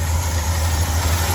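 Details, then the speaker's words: 1977 Ford F-250 Highboy V8 just after new wiring connectors were fitted: deep, steady burble with an even rhythm, no stumbles or misses; running fine at normal idle. "They're all right there. They're working. She's running fine."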